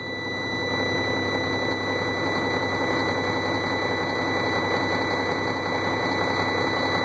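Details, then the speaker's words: Sterling roll-off semi diesel just after a cold start in freezing weather, frozen up and reluctant to start: uneven, lumpy clattering idle with steady high whine over it; rough cold idle, needs override button or it shuts down. "It's all frozen up. This thing does not like to start. When it does start, you gotta hit an override button. She's cranky."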